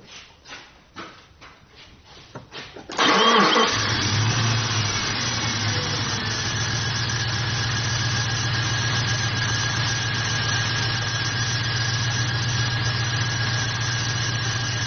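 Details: Jeep 4.7 V8 misfire, after swapping in a used Bosch Platinum 4 spark plug: cranks and catches, then a slightly rough, lumpy idle; compression about 75, slightly low; owner suspects a fuel injector.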